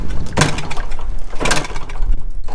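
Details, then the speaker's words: 1974 Honda MT250 Elsinore being kick-started for the first time, with spark and compression and starting fluid sprayed into the carburetor, whose intake is open to air. Two sharp pops about a second apart, with no running after; it backfires and fails to start. "Almost. Whoa. This thing is backfiring like crazy. More nope. Ow. My foot hurts really bad. And nope. Not gonna start."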